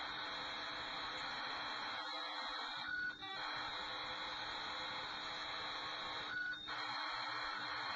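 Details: Commodore Datasette program tape, saved from the computer, played back on an ordinary Kenwood cassette deck: a dense hissing screech of data tones steady across the clip with two short breaks, ordinary data signal.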